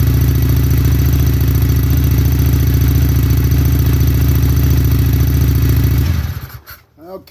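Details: Fuel-injected, bone-stock motorcycle with about 637 miles, due its first 500-mile service, started after winter storage in spring; even, steady low thrum at idle with a regular firing beat, no ticking or misfires, then shut off; healthy normal idle.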